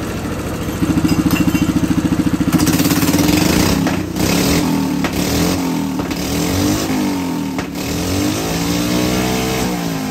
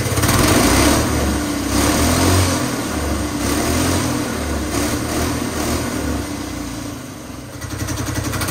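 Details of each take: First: Hydrogen-fuelled engine with petrol replacing water injection, hydrogen turned down, at full rpm: hard, fast pulsing shake about three beats a second, running rough. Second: Small petrol engine converted to hydrogen with water injection, running on petrol with hydrogen reduced to about 3 psi through a modified carburetor: fires up, holds a busy, fairly even beat around four per second with rev swells; runs fine.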